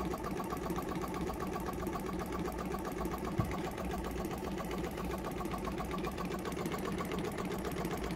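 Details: Jumper box air compressor with formerly seized motor, weak internal battery; strained buzz with fast uneven chatter about four beats a second, like a misfire: motor still tight and binding, owner hopes running frees it.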